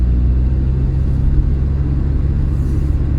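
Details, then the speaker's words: VW Golf Mk2 after front wheel bearing replacement, driving: low steady road rumble with no growl or hum rising with speed; much quieter, bearings healthy. "i could tell you now the car is driving really well it's uh it's a it's much much quieter"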